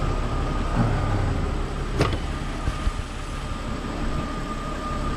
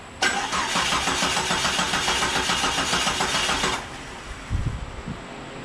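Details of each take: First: Jeep Cherokee running on the old crankshaft position sensor (new sensors would not run it): steady idle, even hum, faint constant whine, no surging or misfire, a couple of stray clunks; normal idle. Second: Jeep Cherokee with new Mopar crank sensor installed but its connector left unplugged: starter cranks steadily about three and a half seconds with no firing, then stops; no start until the sensor was plugged in.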